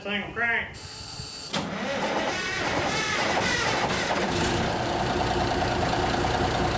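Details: 1974 Kenworth W900A with Cummins NTA420 diesel, built to 612 hp in the 90s, started after three years sitting on a borrowed battery: brief cranking, then it catches first try and settles into a steady, even idle. Healthy cold start.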